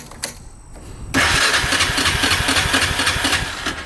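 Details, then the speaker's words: 1998 Honda Foreman 450 ATV, 2,073 miles and 524 hours, cranked with choke and in neutral: starter spins about four turns a second with weak puffs, but it never fires. Cranks but won't start. "But as of right now, you crank it, and it will puff over a couple times, try to start, but it just won't start."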